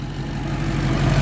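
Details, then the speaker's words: 2018 Maserati GranTurismo with a replacement 4.7 L V8 after the flood-damaged original blew up, on its first start and drive: deep even burble, no misfire or ticking; smooth normal idle. "okay how's it going it's pretty good pretty smooth just purring away"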